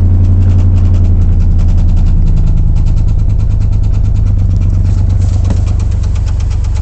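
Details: 2003 Silverado 6.0 LQ4 with comp cam, ported heads, LS7 valve springs and timing set, failed after 2000 miles; V8 idles with a deep steady knock every few revolutions, worn rod bearing.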